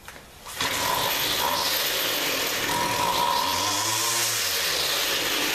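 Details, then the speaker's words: Weed Eater Featherlight two-stroke string trimmer, with carb remounted and rewind and air filter housing repaired, buzzes at high idle, then the pitch sags and wavers when throttled: persistent hesitation on acceleration, with no carb kit fitted. "Doesn't seem to be, no matter what I do, I can't seem to get that initial hesitation to go away."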